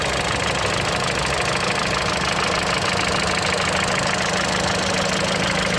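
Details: Mitsubishi Lancer X with a 4B10 1.8 engine and CVT, idling cold, with a sharp, regular knock at about three per second over the hum. The knock occurs only at cold idle; cause unknown.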